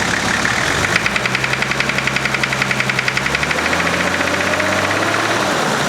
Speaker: thank you to what it sounds like now that engine knock injector knot whatever it is gone